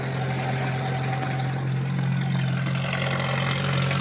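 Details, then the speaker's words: 1989 Jeep YJ with a swapped-in 1995 2.5 EFI and five-speed, cold start in snow, in neutral with the heater off: a steady low idle hum with a light diesel-like clatter while warming. Afterwards the throttle sticks and the engine misses. "Sounds like a diesel almost."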